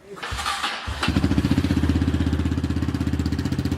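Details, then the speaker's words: Honda CRF230F after uncorking, carb jetting and tuning with idle adjusted slightly higher: quick crank, catches at once, crisp even single-cylinder putter about four pulses a second; normal idle. "and then we just adjusted our IO a little bit higher and it runs perfect now"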